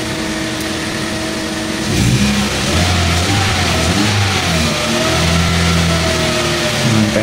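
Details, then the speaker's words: 2014 Hyundai Accent automatic: engine catches, then revs up cleanly and settles back with no misfire or knock, no longer delayed on throttle; normal revving. "Ayan oh. Tapos may power na. Kanina ano siya delay."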